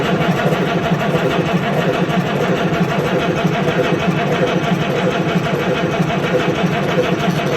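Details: Detroit Diesel 4-53 turbo marine engine with 9285 injectors and Pulsar turbo, cold start with no load, fuel modulator not fully open so not full RPM: loud busy diesel clatter at steady fast idle, no knocks or misses; normal running.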